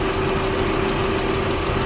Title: Audi A4 b8 engine Cylinder2 misfire#audi#misfire#car#mechanic#b8